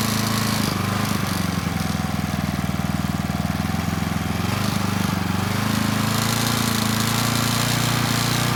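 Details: Coleman Powermate Pulse 1850 generator (PM0401850, 1996 engine 93412-0136-01) after carburetor repair and governor tab adjustment to about 62 Hz; steady even drone without surging under a space heater drawing slightly over its 1500 W rating, holding 114 V; normal running.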